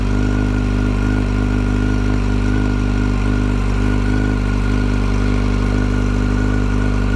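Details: 2008 Yamaha FZ1 at idle: steady idle with a thin constant whine above the engine note, loudest at the clutch cover, quieter at crank and cam chain areas; cause suspected but not confirmed.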